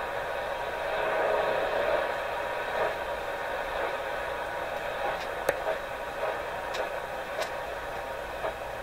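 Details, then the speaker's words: Canadian General Electric KL-96 tube radio while testing after antenna wire work: steady hiss with irregular sharp clicks and pops about every second; intermittent crackle, owner suspects a tube, source not pinned down. "it's definitely some up in here let's make a little bit of scary poppy sound I don't know if they can fear the tiny taking clicks that are coming in with those pops like that sound too much"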